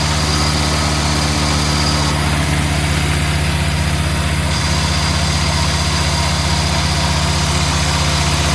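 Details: 61-year-old one-owner Morris Minor 1000 four-cylinder, just after start in neutral: steady even idle with smooth low beat, no knocks, misses or hunting; runs cleanly, no major leaks.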